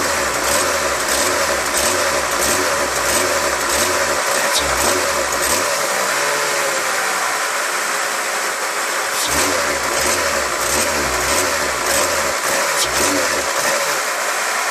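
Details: Mercedes C36 AMG M104 petrol engine idling at over 1100 rpm: fast, unsteady idle with a wavering loping pulse about 1.5 per second; throttle body rewired and overvoltage relay replaced, cause unconfirmed; high idle with rough running.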